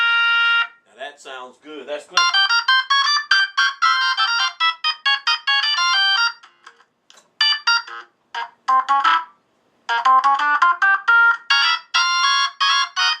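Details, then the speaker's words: Vintage Leslie upper horn driver, V21, on test setup at high volume: test tones and chimes ring clear and steady, no rattle or buzz; normal clean tone. "that's good clean v21 that sounds fantastic"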